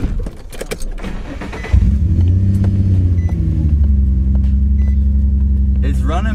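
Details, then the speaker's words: Infiniti G35 with a random multiple misfire code, one bad ignition coil already replaced: engine cranks, catches and settles to a slightly lumpy, uneven idle, still misfiring from a second failing coil. "it's definitely running better but there's another one oh yeah there's definitely another one"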